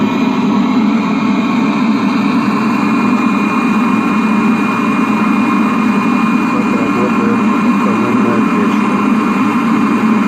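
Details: Webasto heater on a 1999 Seat Alhambra 1.9 TDI, after repair: a steady, even roar of burner and blower with no surging, pulsing or rattles. It is running normally.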